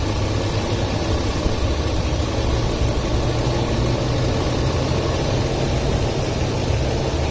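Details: 2004 Ford F-250 5.4L at idle, code P0306 cylinder 6 misfire after customer fitted new plug and coil; low idle with uneven stumbling beat as one cylinder drops out; spark tester showed very weak coil, replacing it cured the misfire.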